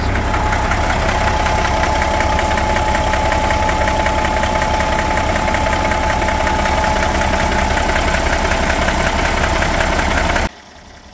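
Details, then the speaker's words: Older Cat 3406B diesel idling, customer suspected valvetrain knocking (bridges seemed to be walking); steady light knock about two or three beats a second, not a deep knock, blow-by fumes visible at oil pan, big oil leak – engine knocking at idle. "It's definitely making a noise. Not a real deep knock, but definitely something not going on right."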